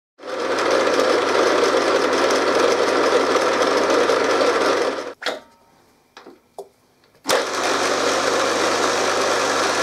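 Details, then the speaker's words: RF45-style six-speed geared-head milling machine, oil-filled gearbox, bought second hand: busy steady rattle near four beats a second, stops briefly then returns; always noisy, worsening, spindle seal leaking; worn gearbox suspected, before repair. "the gearbox has always been fairly noisy though recently I think it's been getting worse"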